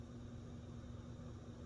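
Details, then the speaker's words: Design House Atrium 30-inch ceiling fan: steady loud low motor hum with a faint higher tone over the blade whoosh, resonating through the building; cause unclear. "Is it just me or the hum's not quite as bad in reverse? I think it's quite as bad. I think it's the same. 'Cause I'm hearing it pretty loud right here."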